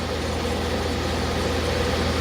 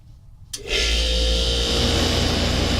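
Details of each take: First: 1994 DeLonghi 40-pint dehumidifier running in a basement, draining to a slop sink: steady, even low hum and smooth fan whoosh. The fan motor's free-play rattle went away after minutes of running and frost is forming on the coils, so it runs quietly and normally. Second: 1994 DeLonghi 40-pint dehumidifier starting up in a humid basement: quiet start rising to a steady hum with a loose uneven fluttering rattle, fan motor free play noise.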